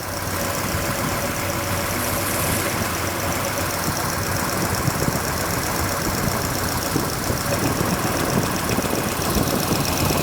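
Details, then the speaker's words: Car's engine, recently made roadworthy again, idling with belts slightly loose while timing and valve lash are checked: quick light ticking chatter over steady idle as one rocker arm chatters with too much lash, needing adjustment. "Oh my. Okay, that one's shattering."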